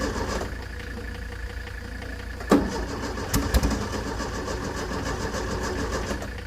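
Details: 1970s Layton roller compactor, Ford Taunus 60-degree V4, fuel pump switched on, good battery: starter churns with uneven chuffing and a couple of loud pops but never catches; crank no start, no spark from corroded ignition points.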